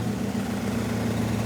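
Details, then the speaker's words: Nissan 240SX on its first start-up since the engine build, warming up at idle. A faint, quick ticking comes from the fan blades hitting the shroud after the angled intake pushed it. "That little ticking. I know exactly what that is. It pushed the intake and now the fan is hitting that shroud."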